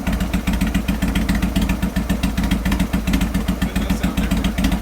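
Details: 2003 Sportster 1250 after top-end rebuild for piston slap (used bored cylinders and pistons), muffler fitted, second heat cycle: lumpy but even V-twin idle, three to four beats a second, no slapping or tapping. Normal idle.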